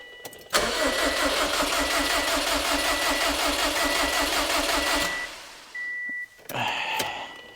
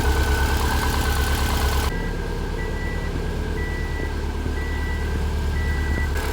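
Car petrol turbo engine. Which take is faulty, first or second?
first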